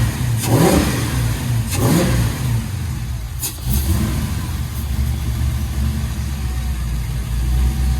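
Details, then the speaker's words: LS-swapped Chevy C10 after tune adjustments, running slightly rich, tailpipes not yet installed; three quick clean throttle blips settling into steady deep idle, revs freely, smooth like a sewing machine; normal engine revving. "oh brother i can actually listen to the engine now like a sewing machine"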